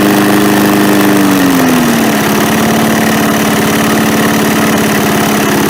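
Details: MTD push mower after carb cleaning, oil not yet changed: sags to a low idle with no pickup when the throttle is moved; the throttle linkage spring was hooked on the wrong end after the carb was reinstalled.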